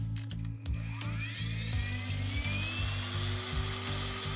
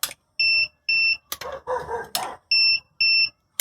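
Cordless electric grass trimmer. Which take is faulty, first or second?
second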